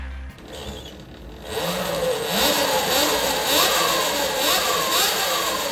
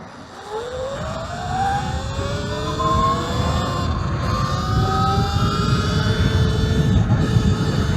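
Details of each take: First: New Talaria XXX Pro electric dirt bike just unboxed and assembled: clean electric motor whine climbing and falling smoothly with each throttle blip, no grinding or clicking; normal motor rev. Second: Talaria XXX Pro electric moto riding over rough terrain: the motor whine rises and falls with speed, with an irregular, annoying rubbing noise that the rider says comes from the rear tire, not the front. The cause is not confirmed.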